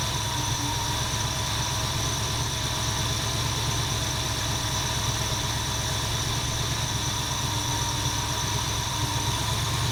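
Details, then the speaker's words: 1977 Ford F250 351M V8 with Duraspark II ignition, cold on choke after new plugs and coil: unsteady, shaky idle with a loose, irregular, popping exhaust note; rough idle, later thought to be a mix of a dirty or blocked carburetor and carbon-fouled plugs. "it still pops and it runs a teeny bit better it doesn't run great"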